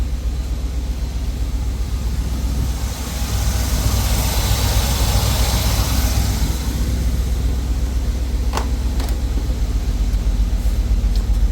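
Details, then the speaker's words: 1980 Chevrolet Scottsdale V8 pickup, parked 26 years, warmed up after running 10–15+ minutes: deep, even idle burble with no misses, ticks or knocks, no smoke, good oil pressure and coolant; normal warm idle. "And even underneath it there, like there's no smoke or nothing, no blue smoke or anything coming from here. Motor's running super clean, super nice."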